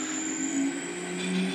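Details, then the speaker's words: Electric motor driving an ultralight (ULM) propeller, unsecured, at low power via a simple servo-tester throttle controller: quiet even hum with faint high controller whine from low-frequency transistor switching, no surges; smooth soft start. "Vous voyez, le démarrage est vraiment doux. Voilà."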